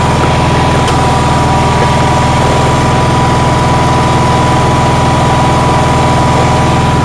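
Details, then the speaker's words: Onan generator running on a cold day: steady fast beat with a hum. Outlets read about 160 and 170 volts and the stator about 18 volts, and it won't idle down further. The owner thinks the idle is way too high. "as you can see i'm getting nearly 170 volts 160 off one plug 170 off the other plug so i think this is idling at idle way way too fast"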